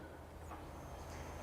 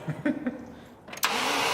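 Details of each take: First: Range Rover V8 under revival after long storage: with fresh fuel and a charged battery, the fuel pump is switched on by button to find a leak; a steady low hum, pumping normally, fuel seen leaking at the back top. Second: 1982 Range Rover, 3.5-litre petrol V8, long-neglected revival, cranking after a fuel hose was reconnected under pressure: starter cranks steadily without catching while a constant loud hiss of escaping fuel runs over it; fuel leak.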